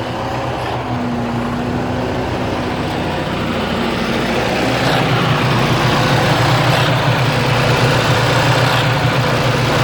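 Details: 2009 Freightliner Cascadia with Detroit DD15 diesel, about 800,000 miles, rough idle since purchase: heavy lumpy uneven pulse about three to four beats a second; shop said normal, cause unknown.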